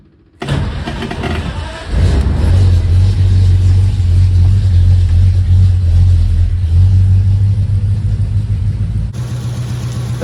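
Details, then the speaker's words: 1940 Ford, first start since November after installing the gas tank, cold with a little choke: a brief crank, then it catches at once and settles into a smooth, steady low idle with an even beat; healthy cold start. "instantly and purred like a kitten that's what I've always loved about this car it's like it just wants to run"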